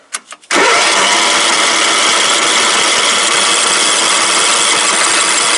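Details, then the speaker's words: Craftsman LT 1000 lawn tractor, nearly out of gas with fuel added to the carb: a few weak cranking puffs, then a loud steady roar; it starts then dies, owner suspects wiring; stall not heard. "Something's happening with the wiring. Come on, stay alive. What the hell is going on?"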